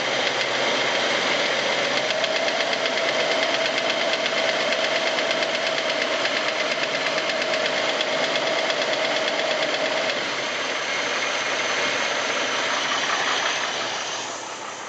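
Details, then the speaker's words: 1989 Jeep Wrangler YJ in gear gives a steady, sharp knock about three a second from the top of the engine, with excessive blow-by and an erratic vacuum gauge, absent at idle; sluggish below 2200 rpm, cause unknown. "This is all in gear. Once again, the knock only happens in gear."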